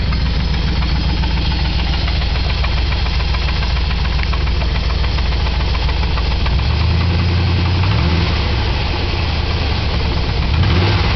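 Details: 1997 Chevy K1500 4x4 Z71 Vortec 350 5.7 V8, 250,000 miles, low compression on cylinder 3; heavy low knocking at idle, three or four beats a second over deep rumble, owner suspects connecting rod knock.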